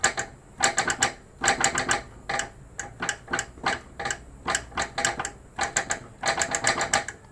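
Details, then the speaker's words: Toyota Vios NCP42 driving over bumps and uneven road: bursts of sharp hollow knocks in clusters; worn or broken front stabilizer bar bushings (two). "Oke, punya tu berpunca daripada bar ni dia punya busar sudah ataupun pacah dia ada dua."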